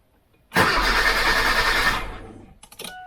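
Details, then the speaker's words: 2007 Kia Cerato after its faulty immobilizer unit was replaced: with the new key held to the reader, the old key turns the ignition and the car starts. A short crank, then it catches at once and settles into a steady, even run: a clean, healthy start. "А старим ключеом провертаємо замок запалення і заводимо автівку"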